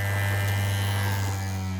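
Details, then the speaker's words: 3D-printed maglev rotor after adding dry lube and pulling the drive coil back: a strong, steady low hum with no rattle, and the earlier whining is gone; it spins smoothly. "it hums now yeah this thing hum so the lube took away that that whining sound that I had"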